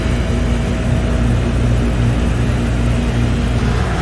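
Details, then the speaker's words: Outdoor AC condenser unit, previously humming without starting, now running after a $12 40/5 capacitor replacement, started from the indoor thermostat: deep steady hum with constant fan whoosh, no stalling or buzzing. Airflow weaker than it should be; coils very dirty. "Okay, now there you go, guys. We are back to working again and good to go."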